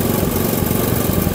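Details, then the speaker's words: Honda motorcycle during an ignition-system check, idling while the ignition pulser peak voltage is measured at its blue/yellow wire. Smooth, low, steady idle with no misses or knocks; the reading was 13.69 V against a 0.7 V minimum, so the pulser is good. "Caranya kita nyalakan mesin dulu. Setelah mesin menyala, kita hubungkan probe positif ini ke terminal positif."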